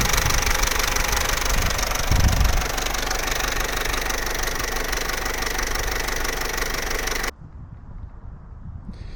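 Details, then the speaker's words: Vauxhall Corsa C 1.4 SXi, warm engine at idle: a loud, fast, steady metallic rattle, worse since the drive home. The owner suspects a slack, stretched timing chain, but this is not confirmed. "as you can see that's really not an ideal noise but you know at the end of the day this is a car that was 500 pounds so you're not going to get mechanical Perfection"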